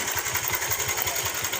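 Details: Bajaj Pulsar (owner calls it his 150) idling, with a light, fast metallic clatter over the steady low thumps; slack timing chain rattle before chain replacement.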